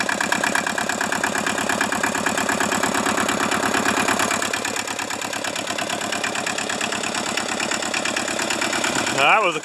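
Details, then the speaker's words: Hinomoto tractor diesel with uneven, lumpy clatter about three beats a second just after a cold start in the 40s °F; previously stuck engine; owner suspects low compression, half-working glow plugs or poor injector spray, not confirmed. "like i said this thing may be down on compression we don't know um glow plugs could be half working or you know our injectors may not be spraying well"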